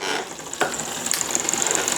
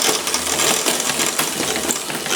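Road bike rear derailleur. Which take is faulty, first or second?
first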